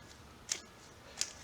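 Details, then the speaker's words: Turbocharger on the car being inspected after removing the AC accumulator: the shaft is rocked side to side and two sharp clicks are heard, likely shaft play or a small metal washer. The turbo still spins fine; it is judged shot. "and it's not crazy but it's enough that you can hear it clicking let me see if i can get close enough maybe hear it"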